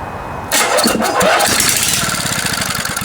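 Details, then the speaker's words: Vintage junkyard Briggs & Stratton 8 HP flathead vertical-shaft riding-mower engine, starting fluid sprayed in the intake port; cranks and fires within half a second, then an even, fast popping beat, spark and compression confirmed — normal start. "That sounds like a good engine to me. Right on, let's rebuild that carburetor."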